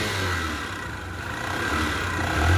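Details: Honda Shine bike brought in for a full engine rebuild, running with heavy smoke: heavy, uneven mechanical clatter over the exhaust drone; tired, worn engine due for a rebuild.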